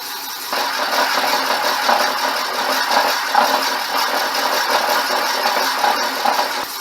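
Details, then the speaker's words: Boring the cracked cylinder of a '59 Flathead engine ahead of a sleeve, after a corrected setting: steady even cutting hiss with no judder; smooth boring cut, no chatter. "so he's cutting nicely now of course it'll all look fantastic with a liner in it won't it"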